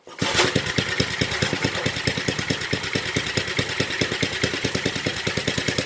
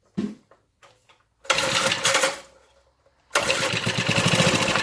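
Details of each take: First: 1970s Briggs and Stratton single-cylinder rotavator engine, revived after about 3-4 years unused, full throttle: catches and runs with crisp even popping beat, revs up, then winds down; running healthy. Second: Briggs and Stratton rotavator engine, stood about 4 years unused, spark confirmed, carb untouched, tank dry: brake cleaner sprayed in, two short bursts of uneven popping that catch a second or two and die.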